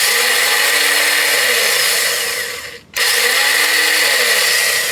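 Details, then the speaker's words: Starter bridged directly at solenoid terminals: high whirring spin rising then fading twice with no engine crank; starter freewheels, bad starter. "That's cooked. Bad starter."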